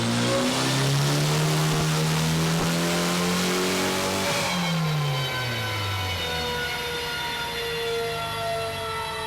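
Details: Hyundai Elantra J1 converted to E85 with 1200cc injectors: strong rising pull that suddenly falls flat mid-run as if the fire went out; a persistent stumble under load with no detectable trigger in the data.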